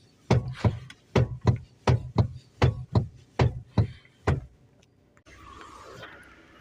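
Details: Lada Vesta NG: sharp hollow clunks in close pairs, about one pair per second, from the electric power steering unit, which was found to be the cause of the knock.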